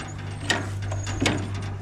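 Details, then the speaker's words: Minneapolis-Moline tractor engine slowly hand-cranked, with two sharp metallic magneto clicks over a low hum; normal magneto impulse coupling click. "yeah she's clicking in there that's good that's good son that's good to turn her over anyways"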